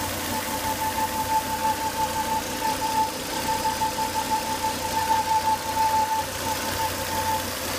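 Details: Volvo S80 2.5T idling with a steady high whistling whine over a smooth idle after 10–20 minutes running; high intake vacuum sucked hard at the open oil cap, cured by replacing the failed crankcase breather box/filter.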